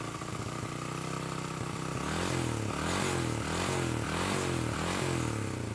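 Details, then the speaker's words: Honda Karisma motorcycle with new carburetor that still drips fuel: uneven surging idle pulsing about four times a second with lumpy revs; the air screw was left fully closed, carburetor never adjusted after fitting. "setelannya nggak enak ya, suaranya grebet grebet grebet gitu ya. Astagfirullah, ini setelan angin paling nutup pol."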